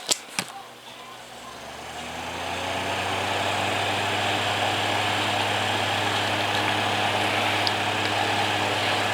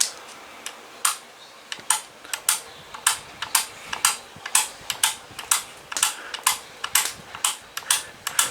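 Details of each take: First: Holmes HACP9 6-inch oscillating clip desk fan, made October 2001, possibly shaded-pole motor, switched on high with oscillation off: spins up over two seconds to a steady even hum with airflow hiss; normal fan motor running. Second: Holmes HACP9 6-inch oscillating clip fan: sharp, crisp pops about twice a second, unevenly spaced, over a quiet fan with oscillation on; popping noise, suspected to come from the faulty oscillation drive and possibly needing oil, not confirmed.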